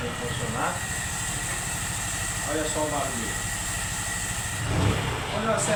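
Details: Honda Pop 100 motorcycle, recently got running after carburetor fix, after days unused, idling: uneven metallic rattle that stops when revved and returns; some suspected cam chain or piston, actually broken magnets loose inside the flywheel rotor.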